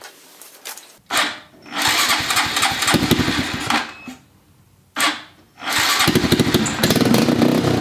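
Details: 2015 Honda Grom with custom exhaust and intake, bought used: engine bursts into ragged revs then dies, backfiring and sputtering, won't idle.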